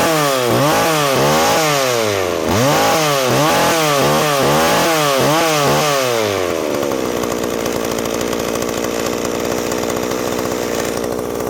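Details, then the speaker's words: McCulloch Pro Mac 610 chainsaw, old two-stroke, greasy and not run for years, chain seized and clutch needing work: revs rise and fall in rapid bursts, then settle to a steady buzzing idle; runs cleanly. "And I don't care about that right now because it's up and running. So that's good enough for now."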